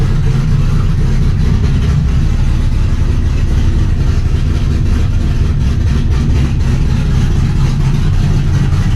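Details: Trans Am after replacing the corroded knock sensor with a new GM AC Delco part and a new harness, old code cleared: steady, deep, even idle rumble with no knocking, misfire or ticking; healthy idle.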